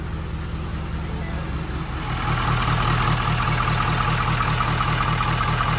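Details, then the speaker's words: 6.7 Powerstroke diesel first start after CP4-to-DCR pump conversion with full fuel system (new injectors programmed, fuel cooler): smooth healthy idle with slight airy hiss like air pushed through the filter, low fuel in tank; normal idle. "sounds good and smooth sound like almost like a little bit of air getting pushed through the filter of course it doesn't have a lot of fuel in it"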